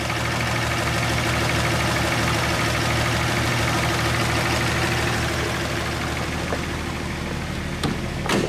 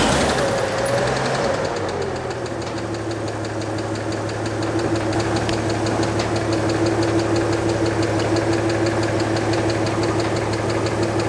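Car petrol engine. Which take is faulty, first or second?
second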